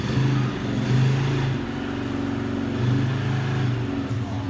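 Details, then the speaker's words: Cold Polaris 90 kids' quad, small single, choke still on: uneven burbling idle with wavering beat, running overly rich; improves once choke is adjusted. "shoka's still on that's why it sounds like that"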